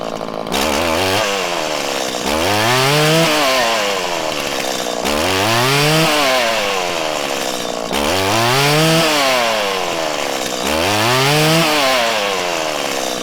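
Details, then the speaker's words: 1997 Stihl Pro Series FS two-stroke trimmer: while the low-speed mixture screw is adjusted, the engine revs up and drops back repeatedly, stumbling and hesitating on each climb with a larger dead zone when set too lean, until it is backed out. "all right so you'll actually notice there as i was adjusting the low side you could hear when i went too lean and it started to break up and it was having trouble ramping up there was a larger dead zone"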